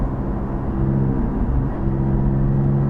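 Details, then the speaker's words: Porsche 718 GT4 with Soul exhaust, exhaust valves disconnected, cruising at about 50 mph in third or fourth gear with the mic in the cabin: steady low drone that occasionally wavers into a weird sound, as if the valves were interfering. Cause unknown. "hear that weird like uh almost sounds like the valves are getting in the way there i mean they are disconnected but occasionally i have this kind of weird sound"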